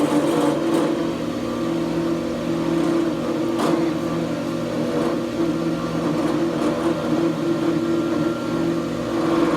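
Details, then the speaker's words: Grizzly G0634XP planer jointer, a few months old and lightly used: steady motor hum with a warbling tone and faint scraping whir, plus residue on the guard; owner suspects a bearing; belts and chains were checked and found fine. "now when we turn it on it's making a weird noise coming coming from right here and on the guard there's this residue it's coming off that I think it's it's got something I think it's got something to do with a bearing I'm not too sure"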